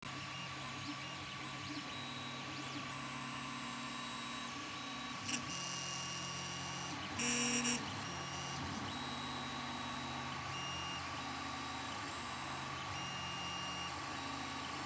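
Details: Ender 3 Pro printer with only a few prints made: a steady high whine with brief brighter chirps from the nozzle/hotend area over the printer hum; cause unknown.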